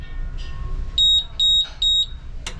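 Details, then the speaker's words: Hoshizaki ice maker that is not making ice, switched to Ice at the control panel: three short high-pitched beeps, a freeze timer alarm meaning the freeze timer setting was hit two cycles in a row. "all right so type of alarm three beeps it says freeze timer freeze timer setting for two cycles in a row"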